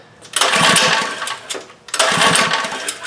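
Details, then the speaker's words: Relatively new Legend Force lawn edger that won't start: two rope pulls, choke on then off, whir and compression thumps that seem fine, but no firing at all; cranks and won't start. "Pull the string. Compression. That seems fine. But yeah, it's not doing anything. Choke off. Still nothing."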